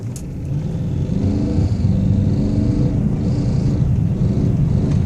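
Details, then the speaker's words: 1999 BMW 540i M62 V8, quiet at start and idle, has light tapping under acceleration whose frequency rises with rpm; owner compares it to damaged chain guides. "so the more i push the gas the rpm goes up the frequency of the tapping noise increases as well so it's it's obviously something to do with the rpm of the engine it's not a it's not a rattle and some type of a tapping noise is the best i can describe it"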